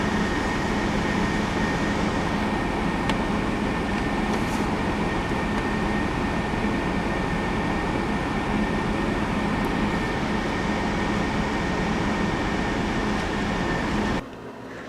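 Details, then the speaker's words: 1998 Chevy S10 with 4.3 Vortec V6, first start after intake gasket replacement and new coil; steady even idle rhythm without stumbles or knocks until shut off; running properly. "she started up fight it up real good"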